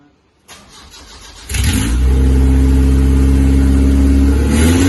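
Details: Isuzu Rodeo 4ZE1 after a top-end rebuild with spark plugs gapped, restarted with only oil filled, no coolant: cranks briefly, catches cleanly and settles into a steady, even idle with no misses or knocks. Normal idle.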